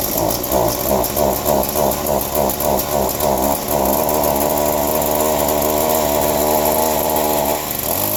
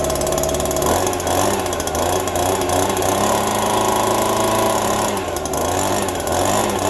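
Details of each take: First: Chainsaw cold-started after sitting: sputters and surges unevenly about three times a second, then settles to a steady high buzz; rough running, owner suspects carb needs work from sitting. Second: Small two-stroke yard tool still cold after a December cold start on a little fresh gas, owner hoping a fuel drip doesn't leak it dry; steady buzz with slightly wandering pitch, no stalling or sputter, running normally.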